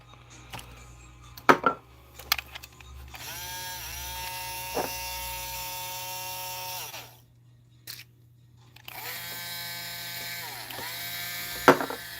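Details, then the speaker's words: Motor, creaky and needing TLC, run under load: high buzzing motor whine sagging in pitch and labouring, stopping and restarting; motor strained, sounds like begging for its life. "know when we get her going under uh load sounds like she's begging for her life"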